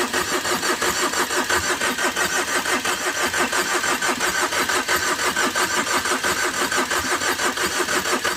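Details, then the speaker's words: Overheated Tata Vista, radiator hose knocked off in an underside impact: even, regular cranking pulses throughout, engine never catches; long cranks fail; owner says compression is there but suspects a blown gasket and a gone engine. "तीन scan पूरा complete हो चुका है लंबे लंबे prank हम मार रहे हैं इसके बाद जो अधिकार स्टार्ट नहीं हो रही है"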